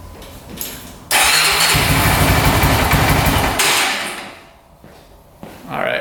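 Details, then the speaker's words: 2004 Honda 400EX quad after carb clean and valve adjustment, cold: off choke the engine catches, roars briefly, then sags and stumbles toward stalling, won't rev out; bogging and stalling, improves warm, cause unconfirmed. "as you can see, it's running horribly. I turn it off choke. It won't rev out at all. It just dies."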